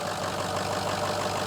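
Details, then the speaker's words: Ford F350 6.0L diesel, towed in as a crank no start, after repair with weak batteries and a long crank: steady, even diesel idle with smooth low drone and light injector clatter, no misses or knocks; fixed and healthy. "Sounds really good. It came here on a tow truck. Now it's gonna drive out of the shop."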